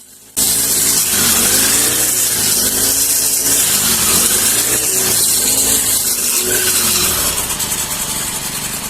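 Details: Honda GX35 brush cutter after fixing a no-start / stalling problem by widening the spark plug gap slightly: screams at high revs with steady, even buzz while cutting, no misses or sputters.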